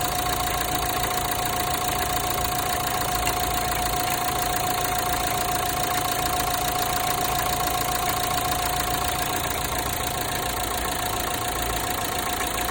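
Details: Renault Megane 3 1.5 dCi diesel at idle: fast, fairly regular metallic ticking around 3-4 per second with a faint thin whine, like metal cracking near the belts, especially when starting; exact source unclear.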